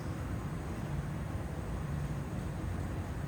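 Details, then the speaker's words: AC system with thermostat calling for cool: steady, even low rush of air and audible refrigerant flow, no rattles or squeals; normal blower operation. "My blower motor is running. I can hear the refrigerant going through the system."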